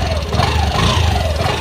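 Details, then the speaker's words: Honda Activa 125 BS6 scooter at about 31,000 km: a low, slightly uneven idle with light ticking, and idle speed has dropped. Owner suspects a tappet issue; cause not yet known. "असा आवाज येतोय काहीतरी एकदम म्हणजे टॅपेटचा issue आहे ना माझ्या मते काहीतरी म्हणजे काय ना काही इशू झालाय पण तो अजून कळत नाही"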